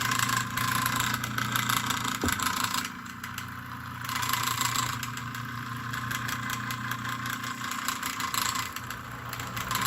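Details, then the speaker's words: Old fan motor just cleaned of degraded old grease and regreased: steady low hum with an even whirr, getting quieter as it runs; runs smoothly but still needs oil. "hey look at that it likes the new grease as it runs it gets more quieter but it does need"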